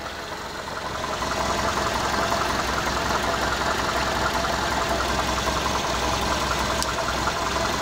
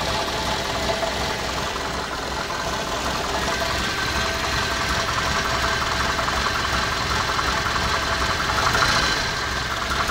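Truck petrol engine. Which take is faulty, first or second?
second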